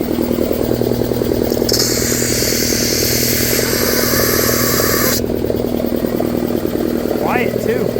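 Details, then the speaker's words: Shop air compressor after electric motor and belt replacement, first run: even low hum, steady pump thump about three per second and a brief air hiss; running smoothly. "let's see yeah we're back in business"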